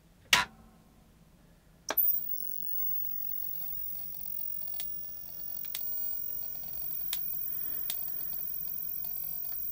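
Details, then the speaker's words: Commodore 1084ST monitor, probably early 1990s, first power-on after replacing eight-pin chip: faint sharp tick every second or so over thin high whistle, with visible sparking at the back; high voltage arcing suspected, not confirmed. "got a bit of sparking on the back there we hear that just clicking away that's probably the uh high voltage just clicking away to something there"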